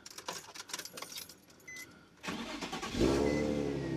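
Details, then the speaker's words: Nissan 350z after replacing a faulty camshaft sensor: a few seconds of quick cranking, then catches cleanly and settles into a steady even idle; start problem should be fixed. "yep so uh that should have fixed the problem there"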